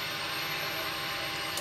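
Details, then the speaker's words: Wrecked 2020 Ducati Panigale V4S being rebuilt, with a damaged fuel tank. After an earlier fuel leak, the pump is primed again: a steady high buzz for about 1.5 seconds, then a clean cutoff. Normal priming, likely just filling the system, and no more leaks. "I think it might just be filling up the system right well we got no more leaks"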